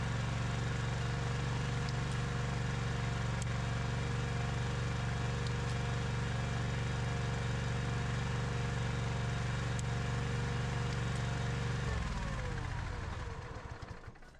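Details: Husqvarna iZ5223 zero-turn mower, Kohler CV23S engine, after no-start repair; running with PTO clutch engaged and deck belt off: even smooth low drone, no knocks or slipping, then shutdown and spin-down; normal.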